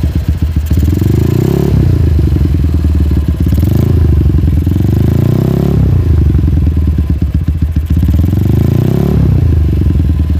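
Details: GL motorcycle with an unstable idle and a knocking noise when hot, carburettor not yet adjusted: each throttle blip rises cleanly, then the revs sink slowly over a second or more instead of dropping to idle. The cause is not confirmed.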